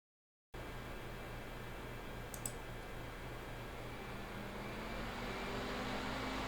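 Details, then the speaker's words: Mini-ITX PC with Ryzen 5 3600X and stock AMD Wraith Spire cooler in a tiny case: steady airy fan rush with low hum swelling and rising in pitch under only light use, like double-clicking a folder. "you just like double click to open a folder and the thing goes haywire like a jet engine like a train on a hill"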